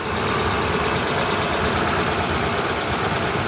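Idle sounds rough and uneven, with an irregular stumble in the beat, which fits a single cylinder misfiring. Cause suspected, not confirmed.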